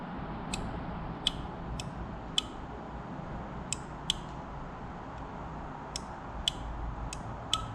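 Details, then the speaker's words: 2007 Yamaha YFZ450 SE with a new starter relay installed and no jumper wire: about ten crisp, unevenly spaced single clicks in a quiet room as the clutch is pulled in. The relay is clicking the clutch safety off normally. "hear that that's clicking the safety off which should allow the starter to start now without that jump wire"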